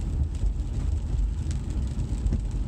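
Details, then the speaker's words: 2012 Cadillac CTS road test after front wheel bearing replacement: only steady low road rumble and wind at cruising speed, no growl rising with road speed as before; wheel bearings now quiet. "Now that we're road testing here, our wheel bearings are nice and quiet now."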